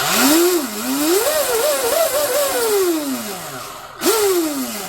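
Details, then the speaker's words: Oxidean Dominator RC boat on 8S (discharged), bench test after Oxi-drive ball bearing stinger install, old worn flex cable: clean whine sweeps up and down twice, no rattle or grinding; drive spins up smoothly, healthy. "Damn, that's actually smooth sounding. That's 8S right there. 8S."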